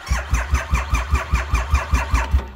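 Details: Starter cranking a 2,500 cc three-cylinder motorcycle (keyless start) off a jump box unused for about a year, battery at 11.8 volts: even chugs about five per second that never catch and fade out, a weak battery struggling to crank it.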